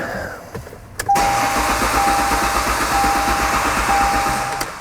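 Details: 1998 Ford Contour no-start, battery tested good at 13 V: even starter cranking at about three pulses a second but never fires; crank no start suspected from no fuel getting through.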